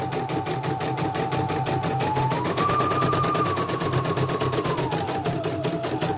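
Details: CNY E900 embroidery machine, in for heavy turning and hissing, after replacing the motor (dynamo) and testing the sensor: quick even stitching clatter over smooth motor whir, no hissing or labouring; sewing normally.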